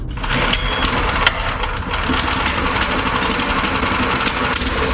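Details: New Briggs & Stratton Vanguard 6.5 hp single-cylinder engine, replacing a Honda that was hard to start cold, on a PermaGreen Triumph fertilizer spreader. It catches immediately and runs at a steady, even, fast beat with no stumbling. Normal running.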